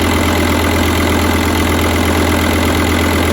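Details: 2006 VW Touareg V10 TDI after new batteries and tune removed: loud, uneven lumpy diesel idle near three beats a second, RPM all over, sounds like half the cylinders; 13.5 V, passenger exhaust smoking; suspected ECM communication or electrical fault. Rough idle.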